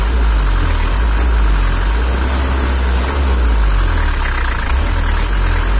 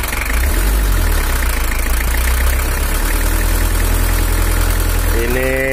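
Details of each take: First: Toyota Hiace LH11 diesel (2L) after adjustment, with lighter, more responsive throttle: deep, even rumble holding one steady beat with no knocks or misses, idling smoothly and set right. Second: 1983 Toyota Hiace LH11 diesel (2L), complaint of low power, during tuning: heavy uneven diesel knock at idle with a shaky beat; mechanic suspects camshaft or an uneven injector nozzle, then adjusts the injection pump; nozzle housing seeping.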